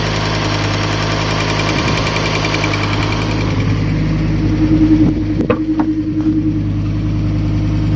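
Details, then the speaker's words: Fiat Stilo Abarth, water-damaged and stored a very long time, warming up with little coolant: steady idle that drops as it warms, with a light, fast tick over the engine note; valve train ticking blamed on long storage. "It might sound harder on camera, but the ticking sound is, yeah, the car has stood still for a very, very long time."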